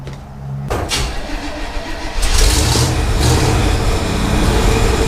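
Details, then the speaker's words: 1968 Chevrolet Impala with makeshift exhaust clamp and hanger, no dual exhaust yet: engine catches after a brief crank and settles into a rough, rumbling idle with an odd uneven pulsing noise; source unclear. "what is that noise listen to this that's crazy stuff"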